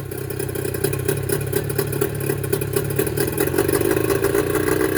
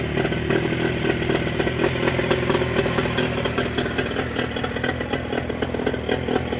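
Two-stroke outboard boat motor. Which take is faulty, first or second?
first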